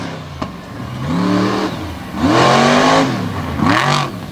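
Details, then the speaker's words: Backfiring and popping from a Ford race truck's big engine revving in bursts on the Brownstown speedway track; sharp pops and cracks as the throttle comes off, sounds off, possibly fuel problems suspected, truck still responding well. "now you can hear it popping something not quite right inside of the pretty wicked ford out of dover delaware"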